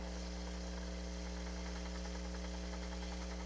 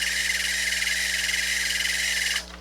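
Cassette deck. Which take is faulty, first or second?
second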